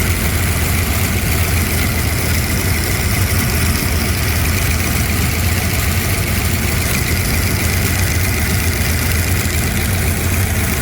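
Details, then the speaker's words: Cammed Gen 2 LT1 V8 (94-97), cold started after replacing a leaking oil pressure sending switch, running about 10 minutes: deep, steady, slightly choppy idle with no misses or knocks, and no leak seen; healthy. "But yeah, this thing runs good, man. It sounds good."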